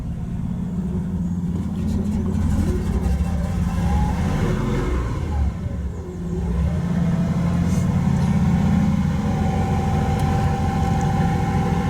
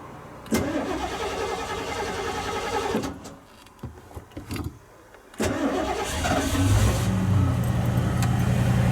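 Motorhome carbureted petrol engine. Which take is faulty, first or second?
first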